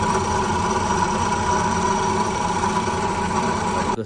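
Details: Car with 86,000 km, from engine start: steady whirring drone with high-pitched ringing whine over idle, like a broken bearing; diagnosed with a sound scope as a worn water pump bearing.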